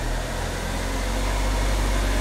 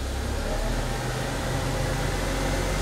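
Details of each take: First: Car with a speed-related front noise, raised on a jack and idling in gear: steady low engine hum with the wheel spinning slowly and no growl or grinding; this wheel bearing is normal. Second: Car with speed-dependent front noise, right front jacked up and wheel turned slowly in gear: low, steady rumbling growl following the wheel, stopping when braked; right front wheel bearing bad.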